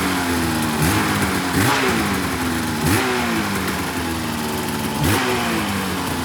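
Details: 2004 RMK 800 two-stroke sled with SOP exhaust, Boyesen reeds, one cylinder at 120 psi compression; crisp throttle blips every one to two seconds, climbing cleanly without misfire or bog; revving healthy.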